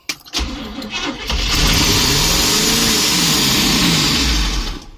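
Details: 1972 Barth motorhome big-block, first start after 15 years, fuelled by gas poured in the carburetor: catches, roars flat out with the throttle stuck wide open, then fades; fuel pump delivers nothing.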